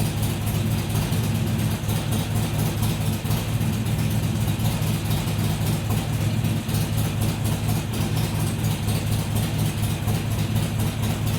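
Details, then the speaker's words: Harley-Davidson XR1200 V-twin cold start after tuning changes to fix a cold idle problem, first start since the day before; steady, even lope with no hunting or surging, settling cleanly; cold idle fixed. "That's the best that thing has started up and just idled without messing around since I've had it. You can see there was no hunting around. It just fired up, settled into an idle, and didn't mess around after that."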